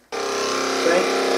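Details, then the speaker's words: Hoover Dustette 100/2614 enclosed motor run briefly with a spare armature: snaps up to speed with a harsh, rough, buzzy whine; the armature is faulty and risks burning out the field if run longer. "horrible i won't run it too for too long because it will burn out the field cause if i leave it that indicates that armature has had it"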